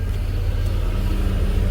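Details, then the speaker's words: Abandoned Hyundai Tiburon on its first start in years: a smooth, even low rumble with no ticks, knocks or rasp. The exhaust is surprisingly quiet and it sounds like a regular car; a warning light stays on from a faulty body control module. "You would think it'd be louder with the exhaust on there, but it's not loud at all. Super quiet."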